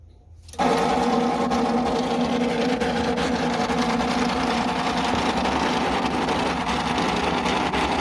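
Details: Dirty computer cooling fan failing: a sudden loud, rough mechanical whirring with a steady buzzing tone as the fan dies.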